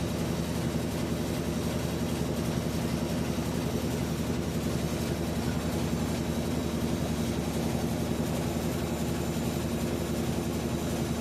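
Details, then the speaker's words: Whirlpool washer WTW4816FW3, bought new July 2023, circuit board already replaced: steady low hum with rapid rhythmic churn and no water sound as it repeats a second, longer spin cycle after loud grinding. "So it went to spin cycle twice. The second time is longer than the first time."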